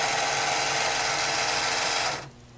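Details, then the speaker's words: 1991 Williams Terminator 2 pinball, power-on after factory reset: steady high whirring for about two seconds then cutting off as the gun motor recalibrates; dead backup batteries on the board lost settings and time/date. "all it's really telling me is time and date are not set and what that means is that their backup batteries on the board that saves all the settings and those batteries are dead"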